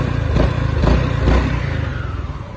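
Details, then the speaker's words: 2022 Honda SH350i scooter with stock exhaust (three baffles, very quiet), before CVT clutch and air-filter work: rough rattling clatter from the CVT clutch with a heavy low rumble and strong vibration up to the handlebars. "nó giặt nó nghe tiếng nồi không không nghe tiếng vô luôn"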